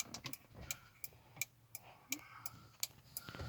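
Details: Audi A4 B5 early prefacelift turn signal relay and hazard switch, working again after cleaning fouled contacts; crisp, even relay ticks at about 85 a minute, steady with no missed beats, flasher relay working normally.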